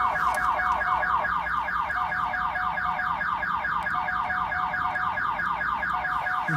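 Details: 1997 Pontiac Firebird V6 that won't start because of the alarm system: loud repeating warbling siren cycling a couple of times a second; factory anti-theft alarm triggered, must be unlocked before the car will start.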